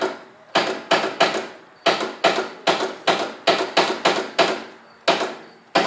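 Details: Riding lawnmower with a new battery that won't start after running through mud and throwing a belt, which was refitted; the starter feels very warm. Sharp single clicks about two a second with no cranking between them. No-crank clicking.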